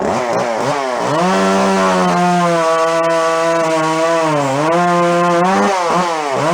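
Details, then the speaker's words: Jonsered 510 two-stroke chainsaw after revival, started cold and with the carb working well, running while cutting. A strong, clean wail bogs slightly in the cut and recovers smoothly; it starts easily and runs fine. "you guys are seeing it run but that it seems like it runs fine and carb actually seems to do quite well it starts really easy now when you go to fire it up"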